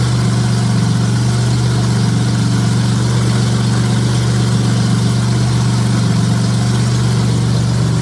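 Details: J35 engine (about 183,000 miles) swapped into a Subaru Baja, warm idle on a cool fall day; steady, even low hum with a fan in the background, no knocks or ticks. Oil pressure about 60 psi, coolant near 150, compression modest, radiator struggling.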